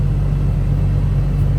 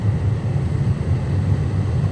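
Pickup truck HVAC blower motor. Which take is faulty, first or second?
first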